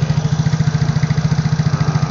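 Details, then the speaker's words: Yamaha Mio Soul GT 115 automatic scooter idling after cleaning carbon from the head, valves and piston crown; original valves refitted, not replaced; quick, evenly spaced putts, no knocks or misses, smooth idle. "lahannya tetap saya pasang balik saya nggak ganti tetap bisa halus gitu loh"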